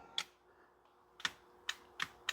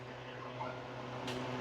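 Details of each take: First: Relay clicks with no motor hum from a 2011 Ford F150 10-way passenger power seat that moves forward/rearward but not up or down; a new seat switch fixed it: faulty power seat switch. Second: 2011 Ford F150 passenger power seat height motor moving the seat front: steady low electric hum, no grinding or clicking; motor works normally, seat won't raise due to defective switch, fixed by new switch.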